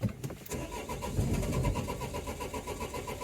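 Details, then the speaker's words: 2004 Renault Trafic 1.9 dCi diesel, fault codes cleared: steady cranking with a few faint catches that never pick up to idle; timing thought not far out, codes return, cam/crank signals to be checked. "it's trying so I don't think the timing can't be too far out cuz it is almost almost there"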